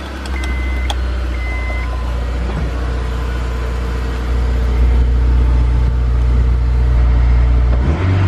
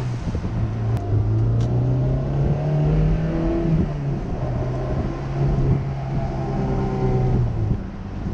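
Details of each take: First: Honda S2000, about 80,000 miles, after replacing all four spark plugs, check-engine light still expected: low idle with an uneven, lumpy pulse; misfire at idle, owner suspects coil packs. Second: Honda S2000 engine revved in neutral after a misfire check-engine fault, with no dash lights now; pitch rises and falls smoothly without stumble or bogging, running much better.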